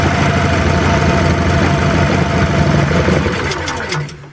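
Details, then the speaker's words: Small engine running on LPG with the choke backed off too far (on LPG it needs the choke almost fully on; on petrol it runs with the choke off): uneven, lumpy beat that stumbles and dies; rough running from too little choke. "Yeah, it just doesn't run properly."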